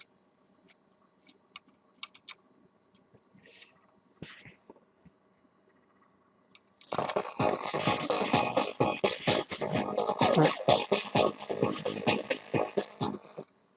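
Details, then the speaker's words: Phoenix Gold ZX475TI car amplifier under repair, one channel tested after the other played fine: speaker sounds harsh and crunchy with flattened peaks throughout; this channel is clipping from a broken internal fault, cause not yet found. "je sais pas si vous entendez mais le son est saturé donc bon ben forcément il y a il y a un problème dans l'ampli il y a quelque chose qui a cassé dans l'ampli"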